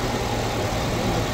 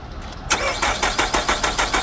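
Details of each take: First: 2012/2013 Nissan Altima after crank-no-start fault traced to a short and blown fuse, fuse replaced: steady low idle hum with even firing, no knocks or misses; engine running smoothly after repair. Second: 2012–2013 Nissan Altima that stalled suddenly while driving: starter cranks in quick, even pulses about five a second but it won't fire. No codes; the crank sensor signal is fine but there's no spark, and the ignition coil isn't getting power; fuse check next.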